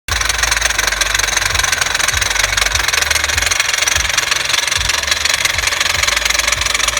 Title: 2006 Honda Civic makes a knocking sound when braking and stopping? Could it be a bad CV Axle?